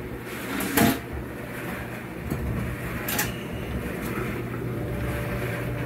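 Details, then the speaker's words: Frigidaire Electrolux Affinity gas dryer after replacing the broken control-panel circuit board (old one gave an E68 stuck-button error and shut off), on high normal: a steady, even drum hum with a creaky step stool; runs normally, exhaust warm. "well so far it's run for one minute it hasn't shut itself off like the old one"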